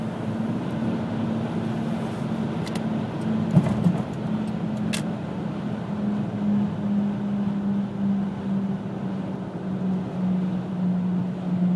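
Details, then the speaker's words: 2000 Pontiac Grand Am GT at cruising speed, emerging around 35–40 mph: a steady droning hum over road noise, a vibration sometimes felt underfoot. Persists despite hub bearings replaced twice, new driver CV joint, brakes and tire rotation; source unknown. "you know the noise just won't go away and it really starts to show itself about 35 40 m an hour"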